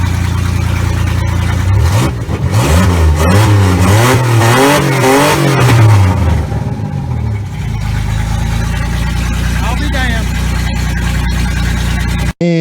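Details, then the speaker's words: Big V8 run on nitrous, just fitted with new spark plugs after the old ones melted, seems okay at first, then spits and sputters, revving unevenly with popping exhaust as cylinders drop out; engine hurt, cause unconfirmed. "it seemed to be running okay at first after a second it started spitting sputtering and it sounds like it's running all about"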